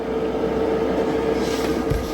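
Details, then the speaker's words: Van parking heater starting up: steady mid-pitched fan tone with rushing air during ignition, no steady burn, no hot air, then shuts down; owner suspects burner not fully igniting, occasional black carbon in exhaust. "It's not blowing hot air. So I don't know that the burner's actually fully igniting, maybe."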